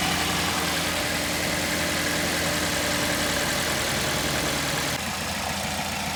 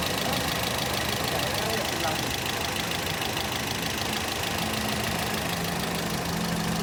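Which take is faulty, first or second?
second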